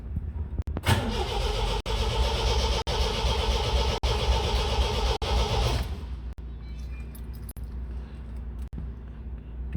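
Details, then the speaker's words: MGB Roadster during restoration, first start attempt with easy start sprayed into corroded carbs: strong, even cranking about four beats a second for five seconds but never fires; spark confirmed at plug, crank no start. "right so we've got it turning over but it's not firing"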